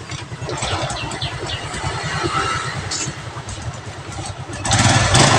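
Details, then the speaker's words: Carbureted Honda Revo Absolute single-cylinder after its lost-ignition fault was fixed: catches and settles into a steady, even putter of about four beats a second, picking up near the end. Running normally. "cekurah dan motor pun sudah nyala"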